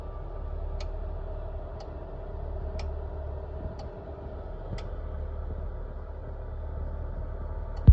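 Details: Infrared space heater, barely used, any mode or temperature, clean air filter: sharp single clicks about once a second over a low hum, sometimes for 30 seconds straight. The owner suspects the heater-coil switch cycling with the thermostat.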